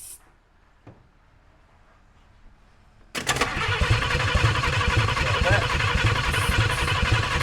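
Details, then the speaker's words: Just-acquired 1951 Chevrolet Fleetline, first start attempt with starting fluid sprayed in and microphone down low in the engine bay: quiet, then an abrupt catch into a ragged, popping run of uneven firing; it coughs into life. "She coughed into life. She coughing."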